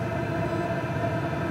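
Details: PH21A 2 kW 12 V diesel parking air heater switching to automatic climate mode: steady, even fan rush with a constant hum, no knocks or rattles; normal running.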